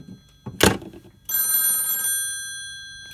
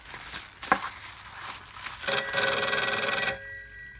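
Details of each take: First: Western Electric 302 telephone after fitting spade lugs for a connection block, test call: a thunk, then a crisp, steady bell ring under a second, ringing out cleanly; ringer working properly. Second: Western Electric 302 telephone ringing from a PBX via a makeshift taped bare-wire connection; as the wrapping is undone the bell rings in bursts that cut out momentarily, intermittent ringer from loose wiring before fitting spade lugs and a connection block.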